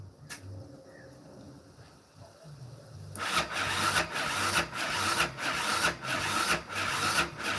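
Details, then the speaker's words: 2001–2006 Yamaha Raptor 660 starter labouring slowly at about 1.5 heavy strokes a second, too slow to fire. The starter lead runs hot, suspected of causing too much resistance. Slow cranking, cause not confirmed. "The starter lead right here is pretty hot. I'm gonna try this. Just gonna directly hook it up to the starter motor. Maybe this lead right here is causing too much resistance."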